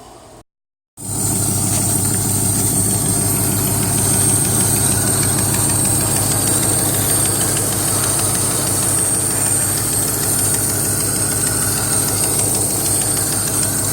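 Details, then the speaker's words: 1980 Camaro V8 idling after a computerized fuel-injected carburetor install; light regular scraping tick, about three a second, from the flexplate touching the starter gear; harmless, left unfixed; exhaust leak still present. "that sound is the flexplate touch in the starter gear so nothing important I can't fix but it's okay so I'm not even really gonna fix it it's a little noise"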